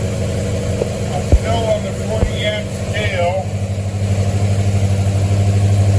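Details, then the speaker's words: 1973 Mustang V8 after a 1G-to-3G alternator conversion, started while the voltage is monitored, reading 14.23 volts: catches after a couple of cranks and settles into a steady, even low idle with no knocks or misses; normal idle. "Now, as Joe is watching this voltage, I'll have Linda start the engine. Fire it up. 14.23 volts."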